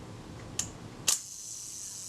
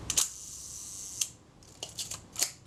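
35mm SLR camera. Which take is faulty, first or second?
second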